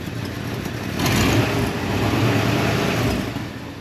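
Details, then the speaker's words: Carbureted V8 in a Tri-Five Chevy on first start after a new aluminum radiator install: irregular, loping idle with uneven swells. Still needs a tune-up; owner suspects an exhaust leak, and it is flooding with carburetor grumbling, possibly the float. "okay there she's running there I think she still needs a little bit of a tuneup"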